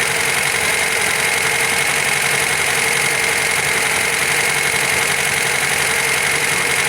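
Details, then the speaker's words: MGB GT after carb rebuild, being set up with a colour tune: steady idle with a slightly lumpy, uneven beat and a hissy intake note; orange flame and sooted spark plug showed it running too rich, mixture being leaned off. "At first it was orange, which means it's running too rich, and when we took the spark plug out you could see it was like proper suttered up, so that were definitely running too rich."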